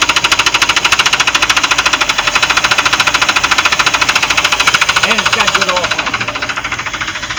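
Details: Chaparral boat, MerCruiser V8, left with tape over oil fill after winterizing, lost power on lake, 3.5 quarts added and now overfull: loud sharp metallic knock about 3.5 per second over idle; engine knocking.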